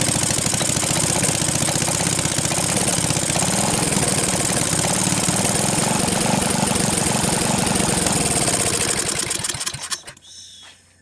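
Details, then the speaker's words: Briggs & Stratton 12.5 HP L-head single-cylinder engine, mouse-damaged and corroded after years stored, first run on starting fluid with choke on, throttle turned up from idle: fast, even pop, then winds down and stops near ten seconds; runs normally. "I think I consider it a running engine. I just turned the throttle up a little bit."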